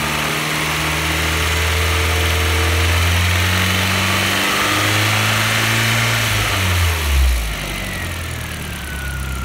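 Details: Audi B5 A4 1.8T turbo petrol engine idling and revving with a steady knock, roughly three to four a second at idle; cause unknown.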